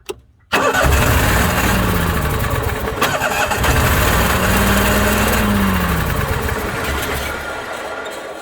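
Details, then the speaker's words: Onan 5500 RV generator: engine cranks and catches but armature whirr lags, rising and falling out of step with engine; split rubber coupling lets armature freewheel, no power output; fix is replacing coupling. "Yes, that armature shouldn't be freewheeling that way. So we know we found a problem."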